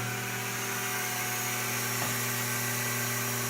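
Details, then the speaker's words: Becker VT 4.16 vacuum vane pump, manufactured 2016, after about two years of shop use, restarted after cleaning: even, steady hum with constant tone and no knocks or rattles. Normal running. "Sounds like she's running okay so far."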